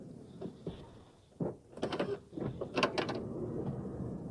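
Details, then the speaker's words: 2008 Honda Odyssey, about 160,000 miles, rear power sliding door: short motor whirs and latch clunks as the latch arm fails to snap fully back; ultimately fixed with a single washer. "so again it's it's this arm not coming all the way back for some reason do it again say it just just doesn't snap back"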